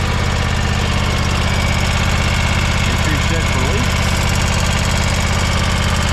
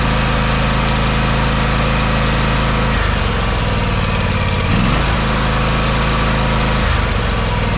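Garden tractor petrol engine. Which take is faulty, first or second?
first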